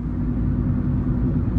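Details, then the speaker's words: Ford Focus petrol engine at idle: smooth, steady low rumble with no ticking or puffing from the exhaust, so no exhaust leak. It is quiet enough that a wheel bearing starting to fail can be heard. "All right. Now, my car is so quiet, I can hear my wheel bearing starting to go out."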